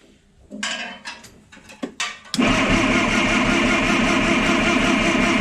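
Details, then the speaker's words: $200 old forklift engine, timing thought retarded, distributor loosened to advance it: clanking, cranks and catches into loud steady slightly lumpy idle; rough running, cause unconfirmed. "So we'll start this thing up, loosen the bolt down here on the distributor, and this whole distributor should be freed up, and I can change it a little bit until we hear it smooth out idling."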